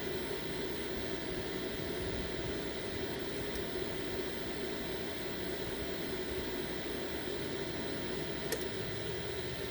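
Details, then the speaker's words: Off-grid solar home during upgrade from MPP Solar PIP2424LV-MSD to OutBack VFXR3524A inverter charger, cooling fans under heavy charge load: steady even rush, no ticking or rubbing; normal cooling fan operation. "listen to the noise that's all right if this thing would have been this one would have been quiet and you can hear this fan raving"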